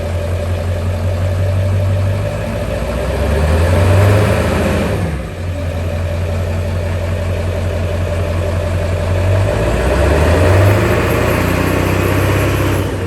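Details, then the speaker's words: Ford Bronco with 7.3 Powerstroke diesel after fitting a Jones Turbine JT50 muffler: deep, steady diesel idle with a couple of smooth revs rising and settling cleanly; healthy and well muffled. "i think it sounds pretty damn good i'll get some footage for you from the outside too"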